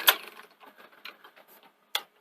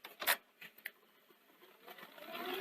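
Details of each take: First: Akai VR-X475EGN multi-standard VHS recorder, low hours, during playback: faint irregular ticking and sharp clicks from tape mechanism, odd clutch noise, also knocking; damaged or obstructed gear tooth suspected, not confirmed. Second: Akai VR-X475EGN multi-standard VHS recorder after refitting a belt and adding a washer: a few light engagement clicks, then a smooth, even mechanism hum with no grinding or squeal; normal tape transport.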